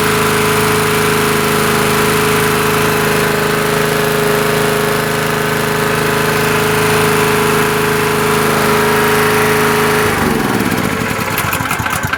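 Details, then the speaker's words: Honda EG2200X 2.2 kVA generator, early 1990s or possibly 1980s, after draining fuel and fixing a spring: steady even hum with no misses or surging for ten seconds, then winds down and stops; runs smoothly, carburetor could use cleaning. "So yeah, it runs pretty sweet actually. But yeah, it could use a carburetor cleaning, I'm sure."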